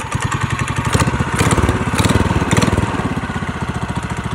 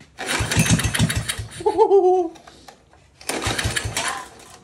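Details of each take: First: Go-kart engine, pull-started after the wrongly installed carburetor gaskets were fixed: quick, even put-put at about eight or nine beats a second, steady with no misses; normal running. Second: 5hp Tecumseh go-kart engine, pull-cord starting: three separate bursts of quick chuffing, the engine never catching; no start.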